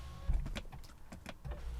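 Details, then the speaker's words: BMW E90 rear window after regulator work, the window seemingly freeing itself; smooth even motor whir with soft clunks at the stops, the passenger-side rear window moving up and down cleanly, motor tone slightly strained going up. "i'll tell you what the the window on the passenger side that's when i'm moving up and down right now that one's moving up and down faster and smoother than the one on the driver's side or maybe it's just in my head"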